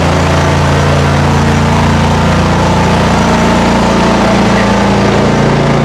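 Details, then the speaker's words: Mower idling after a cold start at about 30°F, after 5 months on untreated ethanol-free fuel. A loud, steady drone with an even low beat and no misses or knocks; slight smoke cleared: normal idle. "okay so it started great it did smoke just a tiny bit which is fine it cleared out"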